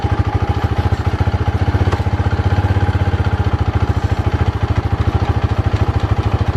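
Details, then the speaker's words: Polaris Predator 500 after a DIY carburetor clean: crisp, even single-cylinder idle putter with no clatter or hunting; runs well. "all right you guys we did a quick test run she sounds good she looks good well technically she ugly but you get what i'm saying but yeah she runs good she performs good"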